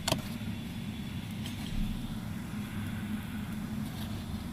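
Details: Car driving over a steady low road rumble: light, scattered rattling clicks come from the interior ceiling; the source is not identified.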